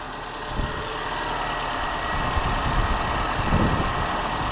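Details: Mini One after a PCV valve replacement, petrol engine idling in rain and wind: ticks over evenly with no whistle or hiss. Normal idle.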